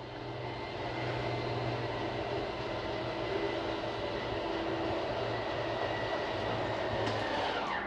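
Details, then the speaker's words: Jayco Eagle 357MDOK RV, master bedroom slide one retracting with the retract button held: steady low motor hum with gear whir for about eight seconds, stopping as the slide bottoms out; normal retraction. "I'm gonna start retracting slides. Starting with one. One is gonna be your master bedroom."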